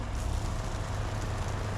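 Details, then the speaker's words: Vevor 5.5 GPM RV water pump (adjustable 40–100 psi), running after lowering pressure switch; even steady low hum, no surging or stutter. Running smoothly with good pressure, pulling water well. "nice pressure pulling water good through there and you have to have a good seal on all of these"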